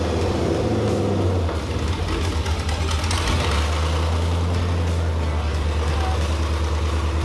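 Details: Corvair with LS V8 swap, restart after the first start on open manifolds; first start had been delayed by an unplugged wire. Deep, loud, steady burble with even firing and no misses or knocks: healthy idle.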